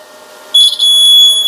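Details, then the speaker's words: Full-wave pulse battery charger/desulfator with clamps connected to reversed battery polarity: steady high-pitched electronic beep starts abruptly and holds while the display reads 0 volts; reverse polarity warning alarm. "พอคีบผิดขั้วจะมีเสียงเตือนนะครับมีเสียงเตือนแล้วก็หน้าจอก็จะเป็น0โวลต์นะครับ"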